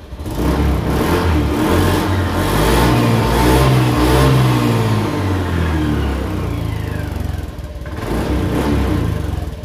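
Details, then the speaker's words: 2019 Honda Beat ESP scooter, used-bike check (rear pulley plate possibly loose): clean rising revs on each throttle blip, smooth pull without hesitation or sputter, dropping back evenly; normal acceleration. "Oke tarikan masih mantap ya teman-teman Jadi tidak merebet motornya"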